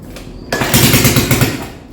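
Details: Quad (four-wheeler) engine just rebuilt and reassembled, first start attempts: catches and fires about ten rough beats a second for under a second, then dies away; runs only on choke, too much air, not enough fuel suspected.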